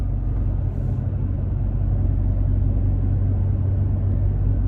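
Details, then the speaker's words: Toyota Tacoma with OEM roof rack deployed, in cab at about 30 mph, windows up, hot humid day: only low, even road rumble, no whistle or rattle from the rack; quiet cabin. "you could almost hear a pin drop in here"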